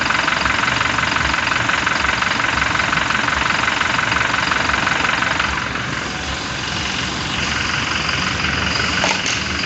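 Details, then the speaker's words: Toyota Fortuner VRZ (New Fortuner) at idle with AC off, after removing and repairing the AC compressor and a leak test at 200: the earlier growling (ngorok) noise is gone, and the steady, even idle sounds healthy. "suara yang ngorok tadi itu sudah hilang ya teman-teman"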